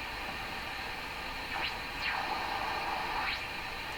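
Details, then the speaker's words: Hammarlund SP-600 receiver, fault likely localized to tubes 6–8: steady hiss with whistles sliding as it tunes in the dual-conversion range; no stations come through, antenna or not, only birdies. "I'm picking up a number of birdies here. It's just nothing making it through this radio."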